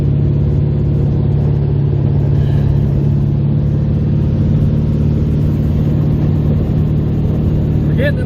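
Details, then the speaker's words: A 1971 VW Beetle is driving under way after three years sitting, with a new small carburetor and fuel rods. Its air-cooled flat-four gives a steady low drone, smooth and even with no misses, knocks or stumbles; it is running well. "we're getting it this is awesome it's running so good with this little carburetor"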